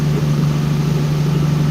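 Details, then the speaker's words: Engine on the dyno after ignition timing advance was added: steady, even idle with a smooth low hum and no stumbles or misses. Its tone changed dramatically and it sounds smoother and happier. "i added timing to it and the whole engine changed tone dramatically i don't know if you heard that or not that was a big change of tone so that's that's good i mean it's a little happier now i just sounded smoother"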